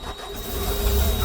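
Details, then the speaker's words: Case CX210B excavator start-up after replacing burst main boom hydraulic hose and tightening tracks: cranks and catches with a rough, uneven low rumble swelling as it fires; doesn't sound right, cause unclear. "Whoops, that don't sound good."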